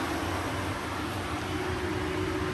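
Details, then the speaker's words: Radiator cooling fan on a 1G-FE VVT-i engine going into a turbo Lexus IS200, turned on manually by a button on the new harness (also coolant-temperature triggered): steady even whoosh, faint constant hum, no ticking or scraping; normal operation. "we have built in the ability to turn them on manually so if you take a look over here you'll see if I press this button one of the cooling fans turns on"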